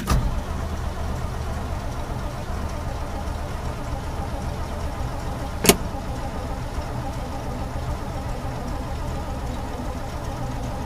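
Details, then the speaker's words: 1968 Chevy pickup, cold start on a snowy day with jumper cables: steady low starter grind, sounds like it wants to start but won't fire; fuel starvation, fixed by priming. "again kind of sounds like it wants to start hit her again but not getting nothing so far"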